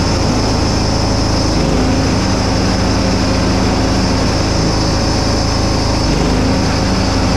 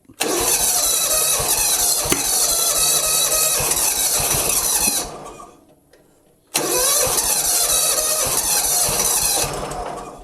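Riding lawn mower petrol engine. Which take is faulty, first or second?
second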